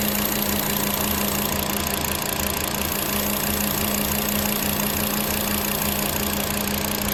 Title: Cylinder misfire on VW Passat Jetta 2.5L - fuel injector o-ring is not sealing properly.